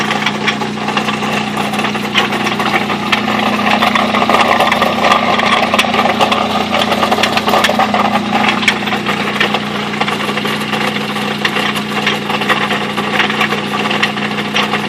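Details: Mazda B2600i truck idling roughly with an irregular deep knock, its engine worn out after five years of hard driving and at the end of its life before it finally died; knock source unknown.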